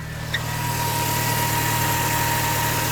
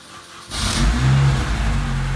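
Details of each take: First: 2005 Mini Cooper S with battery, ABS and power steering lights at stops; charging test shows about 11.2-11.8 V instead of about 14; over steady idle a constant high whine at alternator side; alternator whine from failing alternator. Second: 2005 Mini Cooper S after alternator replacement: starter catches quickly, engine flares and settles to steady smooth idle with no squeal or rattle; charging about 14 V, healthy.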